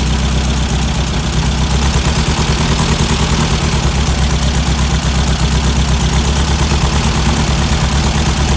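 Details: Weber 40 IDF dual carburetors on a classic VW Beetle engine at idle, deliberately shown out of sync for comparison: an uneven, lumpy, loping, unsteady beat instead of a smooth patter.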